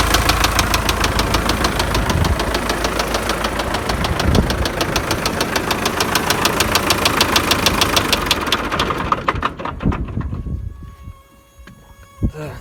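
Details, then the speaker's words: MTZ tractor diesel: a knock appeared mid-trip and was driven about 20 km with it. Heavy regular knocking, around three blows a second, at idle until shutdown. Teardown found worn crankshaft bearing shells and the engine was close to seizing. "одним словом вот она вся причина стука которые было двигателя не стал рисковать все на той же подождет решил лучшим разобрать"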